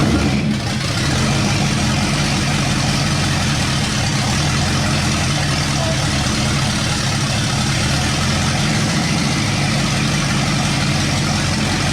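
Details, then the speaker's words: 1962 Mercury with V8 rebuilt from scratch, first run after correcting late ignition timing: steady, even idle with smooth low rumble, no misses; revs right up on throttle without coughing or choking, healthy. "You know, just hit that throttle and it just revved right up. It didn't cough or choke. I'm really excited about that part of it as much as I am just it idling on its own."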